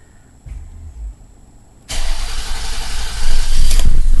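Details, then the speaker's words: 2000 Toyota Sienna 3.0L V6 after fuel filter replacement: short bursts of cranking while fuel fills the line, then it catches and settles into a steady, even run with no stumbling; normal start. "fuel to get in the line there oh yeah running good now let's see if it's leaking"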